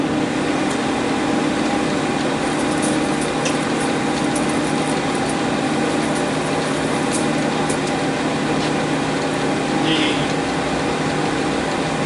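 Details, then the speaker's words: New-1973 Monarch engine lathe model 2516, 120-inch, servo headstock, rapid travels, running to show clutch and brake; steady, even hum, constant motor tone, no knocks or grinding; lathe drive sounds healthy. "You'll be able to hear the clutch and the brake, and you'll be able to see the apron function just fine."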